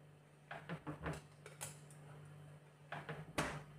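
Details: Refrigerator door opens and shuts with soft thumps and a latch click, no creak, over a steady low hum.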